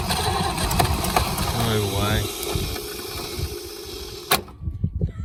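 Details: Holden FC grey motor, first start in 50 years, cranked with starting fluid sprayed in: uneven cranking with a few ragged firing pulses as it tries to catch on the spray; not yet running on its own, though oil pressure is showing.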